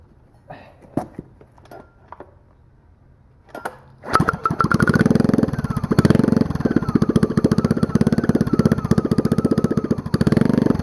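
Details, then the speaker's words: Generator engine pulled after years of sitting in a pumphouse (mice inside), run with the dual-stage muffler removed on a rusted bare header pipe: after cranking clatter, loud, raw, uneven popping that keeps wavering; engine won't settle into a steady idle. "so really doesn't like to idle much does it"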